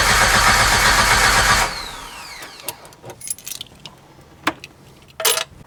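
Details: 1994 Jeep Wrangler, no fuel pump sound at key-on, pump bypassed, check engine light won't come on: starter cranks briskly, about four beats a second, under two seconds, no firing; crank no start, ECU suspected.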